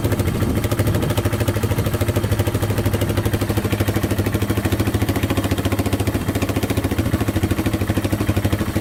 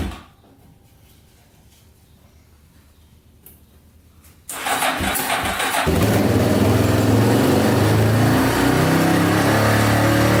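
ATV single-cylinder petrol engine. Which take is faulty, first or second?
second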